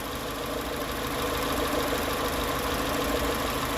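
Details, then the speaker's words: Nissan March 1.0 16V petrol engine idling cold at first start, faint steady whirring hum that fades as it warms; alternator belts already new, cause found to be a binding water pump bearing, pump replaced. "agente desmontou a parte da frente do motor aqui e encontrou um ruído na bomba d'água essa bomba d'água aqui ó ela tá travando sabe"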